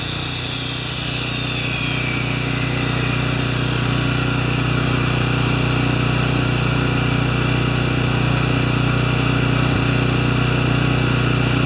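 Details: Makita G2400R generator with a non-OEM carb under saw load: steady, even drone with no hunting or misses, holding speed cleanly; saw draws about 13 A when triggered and 5.7 A running without load; healthy.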